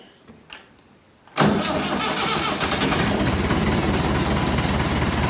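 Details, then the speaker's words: Massey Ferguson 165 tractor diesel after engine rebuild, catching instantly and settling into even steady clatter; clean healthy start. "so yeah everything runs sweet on it it starts up nicely and what I do actually is we'll just start it up for you"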